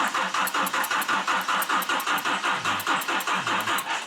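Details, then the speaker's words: GMC Typhoon after sitting 21 years, jumper connected: slow uneven cranking about two and a half turns a second without catching, with an odd unidentified noise from the rear. "We still got that really weird noise in the back. I can't figure it out."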